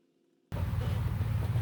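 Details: 1979 Fiat Spider 124: low churning rumble as the starter turns the engine over but it never catches; no spark, crank no-start from a failed magnetic pickup inside the distributor, replaced.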